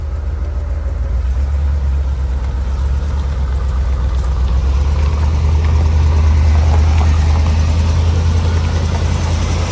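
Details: Chevy 4x4 van with a small-block TBI V8 idling after two ECM fuses were replaced, with a fuel pump relay fault still unresolved. A steady deep rumble with an even beat and no knock or tick: a normal idle.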